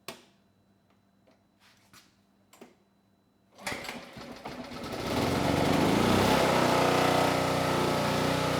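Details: Generac G1000 750 W generator of unknown history, run from an external tank: after a few clicks it catches and settles into a steady, even buzz with no misses or surging.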